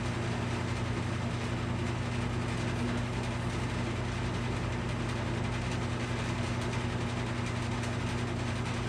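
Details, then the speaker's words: Steady low motor hum with mains buzz and airy rush but little blade beat from a restored McGraw Edison box fan; about 12 minutes in, the hub slips on the motor shaft despite glue dots and paper shims, slowing the blades. "Can you hear it slowing down? Hear it? So there it goes. It's slowing down."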